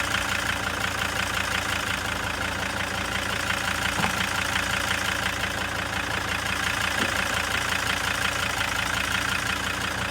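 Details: Junkyard replacement engine just swapped into a T1N Sprinter, idling with a lumpy, uneven diesel clatter about three beats a second; rough idle.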